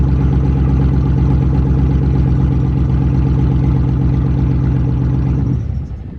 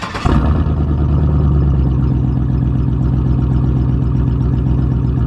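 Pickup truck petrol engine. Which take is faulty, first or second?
first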